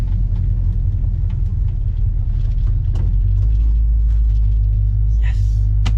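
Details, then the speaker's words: 1969 Plymouth Fury III V8 with a Holley carb, after fueling fixes and a relocated fuel filter, about ten minutes into a drive: a deep, even rumble under road noise with no stumbles or cutting out. The engine is running normally. "It's still running. It's still running. I think we got it. I think we got it. Ah, sounds good. Runs good."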